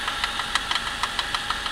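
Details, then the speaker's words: Suzuki J20A 2.0 inline-four, 2008, 87,000 km, cold start: sharp, fairly even ticking knock about six per second over quiet idle, intermittent, began two weeks ago, lasts 3–5 min, absent with preheater or warm; owner suspects spun crank bearings or piston slap. "Включить не знаю, но буквально недели-две назад, 3, появился такой стук не постоянный, на холодный. Что к чему и почему, непонятно."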